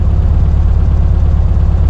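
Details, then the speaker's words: 1972 VW Karmann Ghia air-cooled flat-four on test drive, idling with clutch released, clutch judged worn: steady even low idle, no surging or hunting, no idle change off the clutch; normal idle. "Yeah, it didn't have that weird idle change getting off the clutch."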